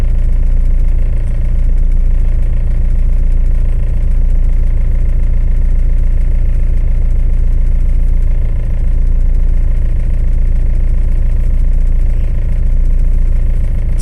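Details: Tata Safari 2.2 diesel after clearing starting-problem fault codes; rescan shows no fault codes; steady, even diesel idle with uniform firing and no knocks, misses or hunting. Normal idle.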